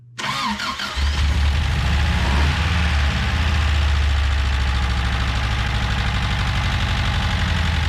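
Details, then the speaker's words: Subaru BRAT started with no throttle, cranks and catches into a lumpy, uneven idle with an irregular low beat; doesn't sound healthy, owner suspects vacuum leaks, cause unconfirmed, tune-up pending. "well they don't sound very healthy but we'll tune on it probably still got some vacuum leaks"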